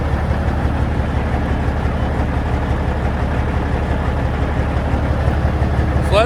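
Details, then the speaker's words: Peterbilt truck with Caterpillar diesel, started sitting after a failed injector made it run badly pulling a trailer: rough, uneven idle with a lumpy beat of about three per second and a loping stumble, a misfire from the failed injector. "I went into work today, hooked onto a trailer, and tried going down the road, and we have an injector that has failed, and it really sounds bad. So let's see how this thing starts sitting here. That's not good."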